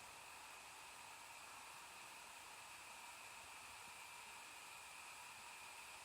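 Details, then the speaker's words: MSI GS72 6QE laptop in sport mode, gaming power profile, after a 100% CPU load test, CPU at 43 degrees: steady soft airy hiss of the cooling fan at full speed, near 7000 RPM, no rattle; normal, while audio stays dead from heat. "So this sound that you can hear is not drilling now, it's fan of a"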